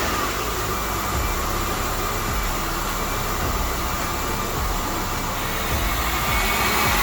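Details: 1998 Honda Odyssey with JDM F23A swap, started after throttle body gasket installed; loud steady engine roar, even unbroken note, no knocks or misses; running normally.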